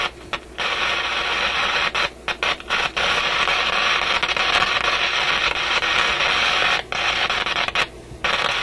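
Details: Canadian General Electric KM-5 vacuum tube radio: harsh hissy crackle in bursts with sudden dropouts to near silence, a distinct on-and-off; intermittent fault in the audio output circuit near the output tube, possibly heat-related or a bad tube contact.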